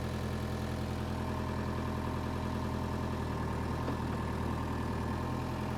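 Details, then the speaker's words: Power Trac 1850 diesel tractor after fluid changes, mower attached: steady low drone with even beat around two per second, no knocks or misses under mower load; normal running under load. "that's what I'm talking about we got it running got the mower on there she ran great and the mower ran great"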